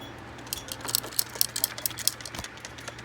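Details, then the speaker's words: Big Buck Hunter Pro arcade gun removed from the cabinet and handled: light, uneven ticks and clicks like a small loose piece rolling inside the case; source not yet found. "can hear that ticking something definitely is rolling around in there"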